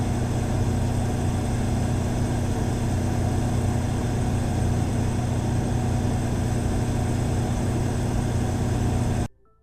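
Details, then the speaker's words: Cummins Power Connect residential standby generator with Level 2 sound kit at 100% load, recorded by 8 microphones at 7 m in 45° steps: steady even low hum, no surging or rattles until cutoff; averaged 4 dB quieter than competitor. "The Power Connect model with the Level 2 sound kit averaged 4 decibels quieter than the competitor at full load operation."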